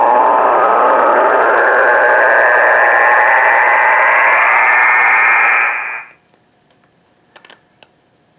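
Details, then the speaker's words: Receiver on 3.764 MHz, 80 m band, with A&H 12 V 4 A switch-mode pulse repair charger on sealed lead-acid battery; loud rushing buzz fills the band then cuts to near silence when unplugged: charger RF interference. "it's a 12vt 4 amp pulse repair charger it's also a pretty good uh am transmitter too as we're about to see"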